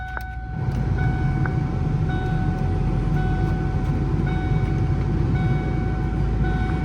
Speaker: Okay, we got air. Ooh, whoa, gosh. I opened up that vent and it just blew a whole thing of dust right in my face.